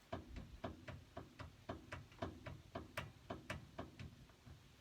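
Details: 2011 Ford Ranger whose steering wanders on uneven pavement, front wheel rocked by hand from underneath: hollow clunks about twice a second as it rocks; not the tie rod or the 2019 wheel bearings, but a worn upper ball joint.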